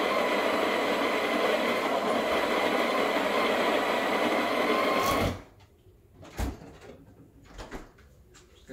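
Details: Breville Barista Express BES870 burr grinder, grinding fresh beans for an 18 g double dose; steady even whirr about five seconds at constant pitch, then stops, light handling noises. Grinder running normally.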